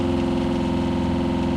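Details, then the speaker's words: RV freshwater pump after four noise-reduction fixes, heard from inches away with an accumulator tank: smooth, constant low hum with a fine even pulse and no rattle or buzz; the pump runs quietly. "So you can hear it pumping, and I mean, I'm inches away and it's not that loud."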